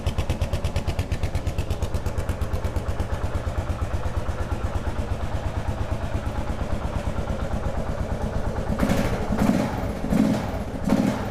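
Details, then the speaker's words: 2001 Kawasaki KLR650 after sitting about 4 years, first start with a new battery and spark plug and a cleaned carburetor, warming up: even, steady single-cylinder idle that sounds okay, with the typical faint KLR squeak. "Sounds okay. Sounds like a KLR. It's got that little squeak."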